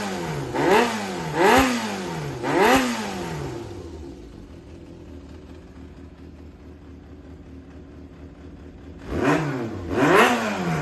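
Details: Yamaha XJR400 (4HM) running engine assembly, start check: crisp throttle blips rising and falling cleanly, then steady even idle with no knocks, rattles or white smoke; compression tested, normal running.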